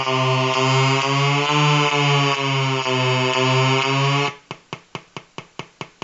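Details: Color-changing LED bulb run on 4.5–6V DC batteries: a steady pulsing electrical buzz, then sharp ticks about three per second as the colors cycle. LED driver interference buzz.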